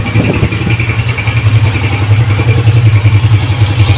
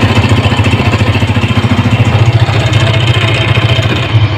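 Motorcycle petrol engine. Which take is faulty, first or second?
second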